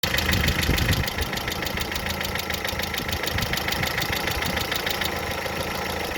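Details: Light, quick top-end tapping about three per second at idle: hydraulic lifters knocking after water got into the oil; an oil change fully cured it.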